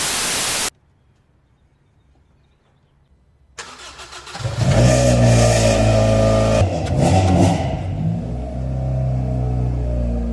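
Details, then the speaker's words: 1993 Honda Del Sol with cheap eBay muffler before fitting a replacement muffler; engine fires and revs with a loud, raspy, tinny drone swelling with throttle, typical of a muffler with no baffles. "Right now it sounds like wing wang."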